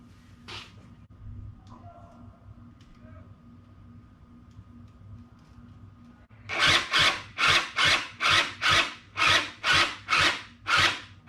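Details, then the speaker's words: Small engine machine pieced together from parts that never ran well, sat since at least last fall, on ethanol-free gas, battery at 12.7 volts: sluggish rasping turnover about two strokes a second, dragging on compression; owner thinks the starter is weak and getting hot. "um so 12.7 volts still starters like weak are getting hot not strong enough i don't think i probably got to swap that starter out"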